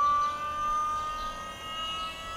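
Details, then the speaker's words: Ford Fairlane with an Astra electric power steering pump, first run after install. A loud, steady high whine that holds its pitch with only a slight rise, at its peak. Normal for this pump. "Yeah, that's what they do. There it is, that's at peak. That's how it runs, I told you."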